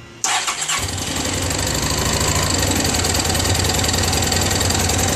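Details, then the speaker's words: Honda Pacific Coast converted to MicroSquirt fuel injection, started after a flyback-wiring fix, catches instantly into a steady fast idle, no misses or knocks; healthy start. "she's going on so I'm at according to this about 2,000 rpms as well it sounds like right now"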